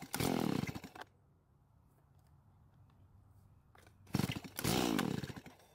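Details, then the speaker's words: Stihl MS170 chainsaw after part swaps and carb work: small two-stroke fires, revs, settles to a quiet steady idle and revs again without dying, now shut off by the switch instead of stalling. Normal running. "well I guess it's working now this time I had to turn it off with the switch instead of it deciding when to turn off"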